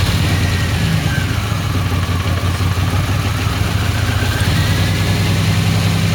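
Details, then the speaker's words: 1989 Pontiac Firebird barn find, 272,000 miles, sat for years, running on gas after starting on starting fluid: low, uneven, lumpy stumbling idle that never settles; fuel problem suspected (fuel pump or relay). "[Music] that's running pretty rough so the main reason i got for all this work here i just want to make sure it's fuel bumper to relay or something like that that's causing it not to start"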